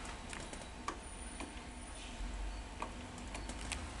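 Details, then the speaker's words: Sony SL-330 Betamax VCR awaiting repair, tape playing: sharp irregular clicks, one or two a second, over a low mechanical hum, happening every time playback has a problem. "Okay, now I want you to listen to it as well. Hear that clicking?"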